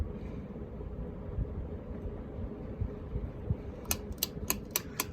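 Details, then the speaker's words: Ritz Petite ceiling fan in antique brass, later 3-speed version, started from a stop: low steady motor hum builds as it comes up to speed, with a few sharp ticks near the end. Healthy, normal startup. "And I'm now going to go ahead and do some startup noise, because I'm pretty sure this fan has some really nice startup noise."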